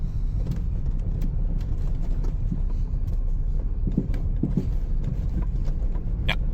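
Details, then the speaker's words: 2018 Ford Fiesta after replacing the right engine mount; idle is much more stable, but scattered sharp, hollow metallic clunks still punch through road rumble while driving. Owner suspects another engine mount or a suspension part; not confirmed. "Car is significantly more stable at idle. It is, however, still making the sound."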